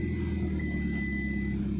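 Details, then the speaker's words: Hyundai i10 Grand push-button start, after fixing ECM (intermittent start/no start, engine shutting off, immobilizer code): starts on single crank, security and engine lights now correct; steady even idle hum with brief beep, no misses; normal idle. "put on the push button and look at here with a single self car started now see the security and engine light both are displaying properly before they were indicating improperly"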